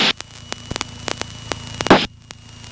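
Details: PA28 climbing out of Oxford (EGTK): irregular sharp crackles and pops over a steady electrical hum; heavy static from the passenger mic rising with RPM, nearly drowning ATC; radio issue later figured out.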